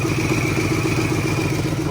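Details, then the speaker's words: Idling engine after repairs, earlier loud ticking gone: steady thin whistle riding above the low rumble from a remaining exhaust leak; sounds much better overall. "so as you guys can hear we still have that exhaust leak we still have that exhaust leak right here but it sounds a lot better"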